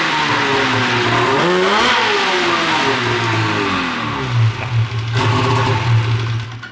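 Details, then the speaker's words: 13-year-old race two-stroke snowmobile, after air-fuel screw adjustment ruled out and power valves de-equalized: revs up then falls off, stumbling and sputtering at low revs; clear bog, owner suspects sticking power valve when warm. "sucker in bog City right now all right guys we got all sorts of wacky stuff going on"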